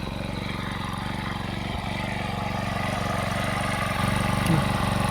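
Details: Honda four-stroke brush cutter (HHT35S/HHT25S), choke brought down 3–4 seconds after pull-starting; small engine fires in a steady, even beat with a slight rise in speed and no stumbling, running cleanly off choke.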